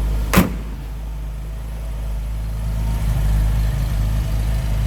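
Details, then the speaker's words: 1931 Chevrolet Independence coupe, stove bolt six with electric fuel pump, heard from the rear after an easy start: slow, soft, even low putter at idle after a door thump, no knocks. Normal idle. "About like you'd expect a 1931 Chevy to sound."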